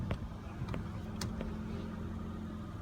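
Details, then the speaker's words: 2005 Honda Pilot after replacing the O-ring in the power steering pressure hose, winter: quiet low idle with light clicks and no pump whine while steering; whine fixed. "it is amazing actually uh how quiet it's running uh I mean it was every time I turn the steering wheel"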